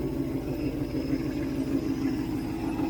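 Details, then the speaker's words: 1967 Ford Mustang 390 V8 after rebuild, choke wide open: steady, even idle with regular firing pulses, no misses; purrs and sounds good, though exhaust leak still needs fixing. "Listen to her purr. Got to fix the exhaust leak. But wow. That sounds so good now."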